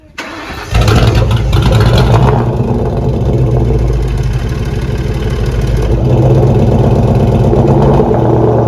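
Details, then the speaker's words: 2004 Ford Mustang Mach 1 with SLP mufflers, after fuel system work (inertia valve reset, fuel filter, pump priming strongly): short crank, catches cleanly, then settles into an even, steady idle with a smooth low rumble. Normal start and idle. "it so it's running great now i'll leave you with a little exhaust clip he has slp mufflers on it"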